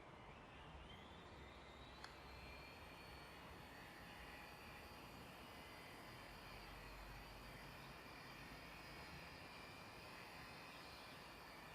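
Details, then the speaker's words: Air Hogs Wind Flyer toy plane on tethered round-the-pole flight, modified with a 2.7 V supercapacitor charged from a lithium-ion battery, after resoldering a loose motor connection: a steady, even electric motor and prop buzz; now fixed. "I'm pleased to say we fixed it so round the pole or tethered flight"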